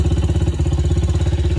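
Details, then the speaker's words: Yamaha TTR90 after top-end rebuild with new piston rings, kick-started on flat battery: small single thumping at steady even idle, no knocks or rattles, running healthy with no smoke. "she's running smoke no smoke"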